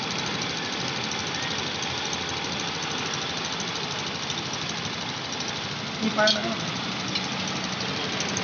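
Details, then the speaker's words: 2021 TVS Jupiter BS6 fuel-injected scooter after lowering high idle via the RPM setting nut: low, steady idle hum, no hunting or surging, one brief tool clink; normal idle. "आप सुन सकते हैं आवाज़ इसका कि गाड़ी का RPM एकदम कम हो चुका है।"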